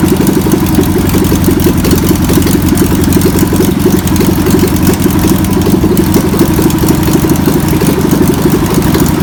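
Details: VW pressed-bumper bus engine sat over 50 years, run after freeing with spray and fuel added; fuel pump suspected bad. Flat-four chugging steadily on its own, a little lumpy but holding a consistent idle; a runner before tuning.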